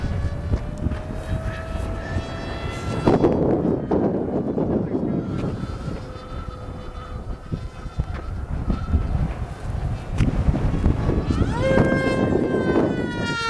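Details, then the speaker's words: SkyFighter v3 foam RC plane on its maiden flight, Turnigy 3648 1450kv brushless motor pulling about 2462 W on an HK 90/100A ESC: a thin high-pitched whistle rises and falls with each pass over heavy wind rush; cause unknown. "whoa whoa that say that sounds funky whistling too man I was going to say you got a little more high pitch whistle"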